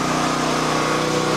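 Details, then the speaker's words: Westinghouse dual-fuel generator on propane via a long home supply line, after fitting a regulator with primer/purge so it starts on one try: steady, even hum with constant pitch, no misses or surges; normal running. "so that's it so it started up I'm going to let it run I'm going to let this run"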